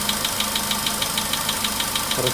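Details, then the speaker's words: VW Polo Sedan, 99,329 km, cold-start idle warming: sharp even rapid ticking keeping pace with engine speed, knocking less but running heavier; owner thought the oil level had risen; knock, cause unknown. "Как будто все тяжелее и тяжелее работает. Меньше стучит, но такое ощущение, что все тяжелее и тяжелее."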